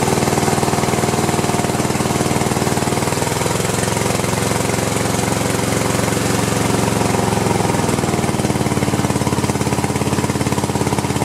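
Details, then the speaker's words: Cub Cadet LT1050 with a 25 or 26 hp Kohler twin that is burning oil, run on one cylinder with the other plug wire disconnected to test each side; choppy, uneven, stumbling firing. Rough running on one cylinder. "and that side actually sounded okay didn't it"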